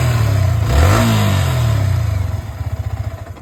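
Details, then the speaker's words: Yamaha R15 V3 after engine noise repair; revs up and settles into an even low pulsing beat with no tapping or clatter, the earlier noise gone. "So இப்ப இதோட running sound கேக்குறீங்களா காலையில கேட்டிருப்பீங்க முன்னாடி கிளிப்பிங்ல இப்ப பாருங்க [இசை] wow அந்த சத்தமே இல்லை"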